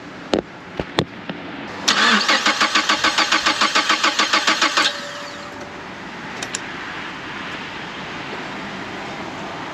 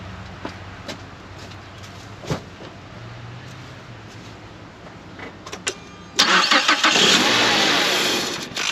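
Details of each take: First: 2011 Mazda CX7, first start after engine replacement: starter cranks steadily at about 3.5 turns a second for three seconds and never catches. The cause was a sensor left unplugged after timing work. No-start. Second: 2011 Mazda CX7 after engine replacement, once the forgotten sensor was plugged back in: a quick crank catches into a smooth, even idle with no misses or knocks. Normal start and idle.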